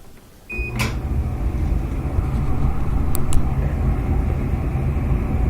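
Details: Maytag Epic Z gas dryer that blew cold air, restarted after repair on the heating side: a click at start-up, then a steady, even low drum rumble with no scraping or squeal. Normal running.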